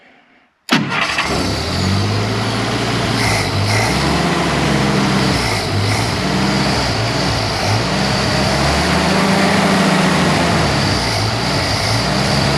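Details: 1948 Jeep CJ2A, cold, running after 30+ years stored, carburetor just fitted: catches, then uneven surging idle that smooths slightly with revs; owner suspects carburetor vacuum leak and timing far off, unconfirmed. Rough running.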